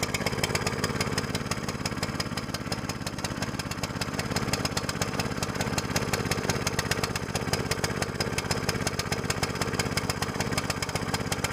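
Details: New small single-cylinder longtail mud motor on 10W-30 break-in oil, after fixing choke setting: steady moderate-speed chugging, even firing with a rattly clatter on top; running in fine, varying rpm, never max throttle.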